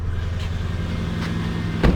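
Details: Lexus LS430 air suspension compressor after new compressor bushings: faint, steady low hum with no knocking, rattle or whole-car vibration; barely heard from inside the car, running healthy.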